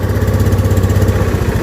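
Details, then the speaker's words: Honda Beat scooter, weak compression from carbon on valve, after carbon cleaner: kick-started, low steady single-cylinder putter settling to even idle without stumbling; compression restored, engine runs. "Nah, hidup loh. Ya kan, itu berhasil tuh. Kita kembalikan kompresinya menggunakan carbon cleaner."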